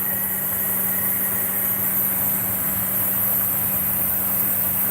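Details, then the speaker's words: Daikin Rebel inverter heat pump on R410, space heated to about 80°F: compressor ramps up with a smooth, quiet, even low hum near 200 Hz, no knocking or rattle; normal ramp-up. "There goes the compressor. Listen to that. I would definitely like to put one of these in my home unit. It's just like, they're so quiet. Just ramp up."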